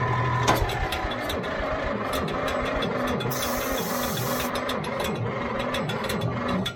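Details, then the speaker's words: Old Caterpillar D6 dozer diesel cranking after ether was tried, on weak batteries: sluggish, labored, drawn-out groans that never speed up or catch; slow cranking from weak batteries. "it don't oh boy run my batteries down"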